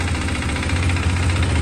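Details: KTM RC390 single-cylinder idling evenly with no knocking or clatter, gearbox sounding smooth while gears are shown; normal idle.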